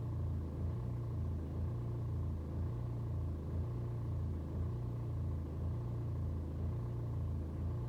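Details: BMW 120d N47 diesel on a cold start: idle rises and sags about once a second for over 2 minutes instead of holding steady; fine on a warm restart, no helpful scanner codes, cause unknown.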